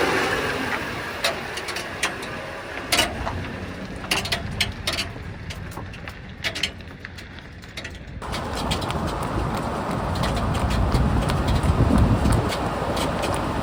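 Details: Ford E350 van rolling with sharp, irregular metallic knocks and creaks from the rear suspension; new add-a-leaf tab rubs the leaf below; grease on the friction pads didn't stop the creak; cause unconfirmed.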